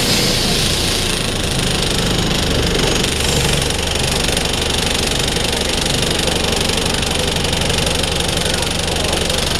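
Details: DAF SB220 East Lancs Mylennium bus standing stationary: its diesel idles roughly with a bad banging, a loose, uneven knock of about four beats a second.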